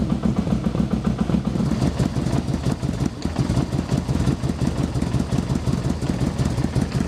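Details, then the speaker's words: Motorcycle with a carburettor problem, left rear and right front cylinders suspected, running on a little choke: lumpy, uneven loping idle firing on only some cylinders, the other cylinder very occasionally cutting in. "so it's running but misfiring there we go so now it's very occasionally you can hear the other cylinder cut [Music] in"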